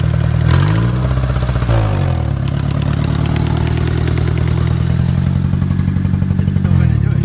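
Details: Engine idles unevenly with a steady, light tick throughout. The owner suspects a damaged valve. A listener thinks it may be a lifter tick and suspects a vacuum leak. The exhaust is loose. Cause unconfirmed.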